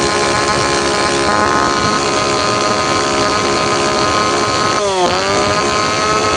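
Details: Tanaka PowerMate PMS340 two-stroke pruning saw, cold engine, after fuel delivery system repair (it previously would not rev up); high-rev buzz dipping briefly and picking back up cleanly, slightly off tune.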